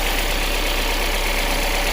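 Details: 2019 Kia Sorento petrol engine after repairing a broken MAP sensor wire (sensor also found damaged), previously rough idle, surging and stalling: now idles steadily with an even, low hum and no misfire or stumble; normal idle.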